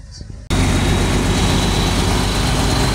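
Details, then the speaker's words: MAN diesel that would not start for almost two years, started after the battery (found at 5 V) was seen to and the solenoid valve was replaced: it catches abruptly and settles into a deep, steady rumble without knocks or misses. "so ang naging problema yung ano lang solonoid okay na mga kahoga umaandar na siya"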